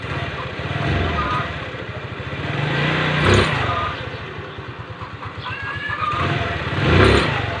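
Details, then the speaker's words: Rusi Gala scooter revving with a rough scraping, rubbing noise from the CVT, caused by a stock drive belt about 2 years old that has hardened and roughened from heat. "so napakinggan niyo na mga sir B merong kumikiskis Kapag umarangkada tayo"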